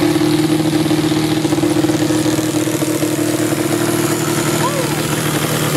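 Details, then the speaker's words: Yamaha Banshee two-stroke twin, barn find unrun for 7 years, new CDI fitted: uneven, stumbling buzz that never smooths out, running only on starter fluid before dying; owner suspects old oily fuel in the lines plugged the carburetor jets again. "they just shut off and it wouldn't start back up what i believe the issue is here is that the fuel lines were filled with the old junk oily fuel and i think i plugged up the carburetor again"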